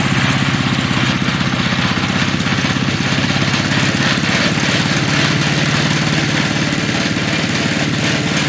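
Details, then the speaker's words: MTD walk-behind lawn blower/vacuum small engine after sitting about three years, running: loud busy rattle pulsing fast with engine beat; engine shaking on loose mount bolts. "Even though this this thing sounds like it's about to detonate itself."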